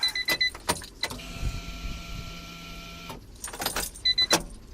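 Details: Key clicks on a Honda Beat after main relay swap and fuel pump maintenance, then a steady electric hum for about two seconds that cuts off cleanly; the fuel pump is priming normally.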